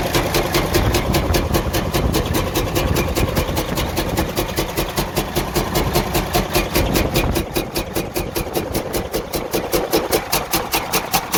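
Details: Freightliner Cascadia DD15 diesel idle with loud, sharp, evenly spaced knocks at 2–3 per second; major internal damage, engine considered gone and needing repair/overhaul.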